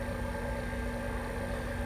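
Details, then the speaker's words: Sanatron vacuum testing system's heavy-duty rotary vane pump pulling down a 16-inch chamber toward 15 inHg (381) target, reading 620 and falling: quiet steady drone, no rattle or grinding; normal pump-down. "it starts pumping down. You'll notice the vacuum is going down, 620."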